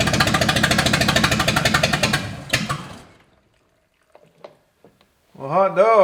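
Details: 1955 Chevy V8 stored 20 years, float bowls topped with brake cleaner to pump out old fuel: catches and fires in quick even beats for about two seconds, then dies; normal brief start.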